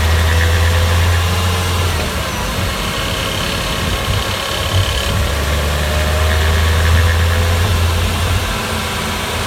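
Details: Porsche Boxster 986 3.2 S coasting off throttle on engine braking: deep drone with a loose, uneven rattle, louder on the right side. It vanishes with any throttle and is absent at idle or under acceleration; owner rules out hydraulic lifters.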